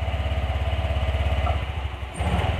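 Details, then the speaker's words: Honda Vario 125 scooter, partly reassembled, before an ECU reset: steady pulsing idle, then the engine sags and stumbles when the throttle opens, a delay with no response. Owner suspects weak fuel pump pressure or another cause, not confirmed. "tuh, delay kayak gini ya, tuh. Nggak apa, nggak respon. Nah ini bisa disebabkan dari banyak faktor seperti yang saya bilang tadi, bisa tekanan full pumpnya lemah ataupun bisa hal lain."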